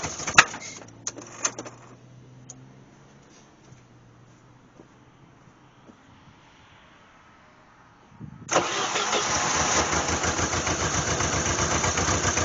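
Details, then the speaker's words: 1988 Jeep Wrangler 2.5L four-cylinder on a cold start: catches into an uneven, stumbling idle and nearly stalls; the rear cylinders are not firing, timing suspected, and a spark test later shows no spark on the rear cylinder. "the timing is off it's not firing those rear and she's going to stall on H"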